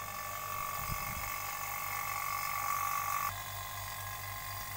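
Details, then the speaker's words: Cold storage compressor evacuation: vacuum pump labouring near the end of evacuation, smoke from the pump exhaust reduced; steady drone with a high whistle that holds, then the note drops and eases as the pump works harder: normal. "Ciri-cirinya kalau vakumnya sudah hampir selesai, asap ini sudah berkurang. Sama kerja vakumnya sendiri agak berat. Dari suaranya akan terlihat nanti."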